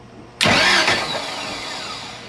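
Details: 1980s Egg Harbor 41 sport fish with twin 454 big-block inboard V8s, bumped over with a valve bent and stuck down and valve cover off: sudden loud cranking burst that fades without catching; engine cranking, later misfiring on one cylinder.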